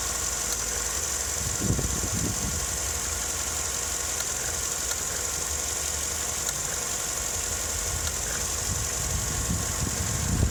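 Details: Vauxhall Astra Mk6 when warm, which also shudders while accelerating: an uneven, shaky idle with occasional low thumps; rough idle, cause unknown.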